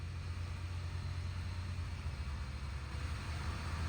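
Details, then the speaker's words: 1999 Lexus ES300, just reassembled after cylinder six burnt-valve diagnosis, fuel system primed, first start: steady low hum with an even beat, no knocks or ticks; normal idle, slightly high, previous noise gone. "Idling a little on the high side, but it's going to do that for now. Wow, that sounds fantastic."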